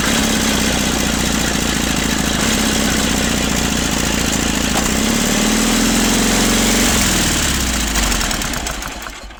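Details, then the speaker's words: 1950s Caterpillar D4 pony motor cranking the diesel, fuel-starved with the primer bulb running dry: fast rattly chatter, the diesel briefly catches, then everything winds down. Starter Bendix drive kicks out too early. "So what's happening is the Bendix on that starter mechanism is kicking out too early. It's supposed to kick out when the diesel motor starts running."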